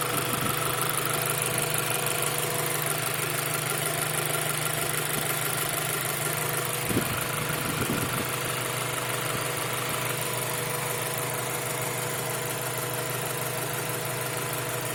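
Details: Fully rebuilt 2000 Integra GSR, 20,000 km on rebuild, idling: light, quick tick over steady hum, loudest near fuel rail and steady at 2,000-2,500 rpm; owner suspects valves need adjustment.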